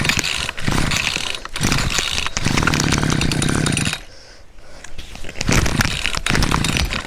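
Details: Cheap two-stroke string trimmer, six to seven years old, first run after a no-spark fix and ignition coil replacement: crisp buzz revs up cleanly, dips and picks back up without stumbling. Normal running.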